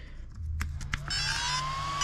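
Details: Arrma TLR Typhon RC car on bullet connectors, first power-on during build: a few soft clicks, then a clean electronic tone rising and settling near one pitch; normal speed-controller startup.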